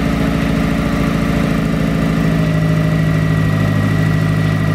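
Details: Mazda MX5 Miata NA turbo after a DIY coil-on-plug conversion: the engine settles into an even, steady idle with a smooth low drone and no misses, knocks or stumbles; it sounds healthy.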